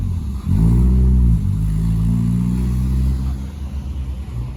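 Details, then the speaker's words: Sedan on a drive around the block with no power steering: low droning engine note swells under load then falls into a rough, uneven rumble with possible scraping; transmission suspected, cause unclear. "I don't know if this sounds like the transmission's bad or... Oh my God, that doesn't sound good at all."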